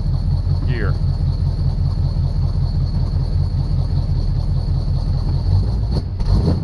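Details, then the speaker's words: 1976 Chevrolet Chevelle V8 auction car being revived: deep, steady rumble with no ticking or valvetrain clatter, but no oil pressure; owner suspects something chewed through the oil pressure line, as with the wiring, and fluid seems low. Normal idle. "I think we're low on fluid I don't hear any clitter clatter"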